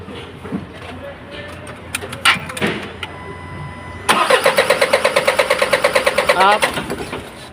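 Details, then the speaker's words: Isuzu 4HL1 diesel, hard starting, only cranks: cranks a while, catches briefly on starting spray with rapid uneven puffs, shakes and dies; injectors suspected worn, to be checked. "Ayan nanginginig siya mga kaayos nangangatal so gagawin natin muna payos ah iche-check po natin yung kanyang injector po no yan kasi namaman po siya eh Tsaka hard starting po siya ayaw niya umandar no"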